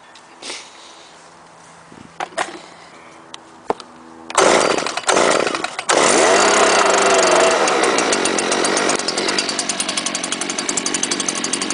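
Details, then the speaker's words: Stihl leaf blower, likely made November 2010, with semi-automatic choke, started on choke after priming, catches within a few pulls and runs smooth and even; runs like a champ. "runs like a champ"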